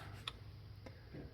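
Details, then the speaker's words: Garden tractor for pulling, electric fuel pump wired through a relay with seat and sled break-away safety switches: faint sharp ticks over a quiet hum as the pump primes, then it stops once primed; normal fuel pump priming clicks. "and now I'm gonna get back on it and I clicked it's primed up now so it's not going to continue clicking"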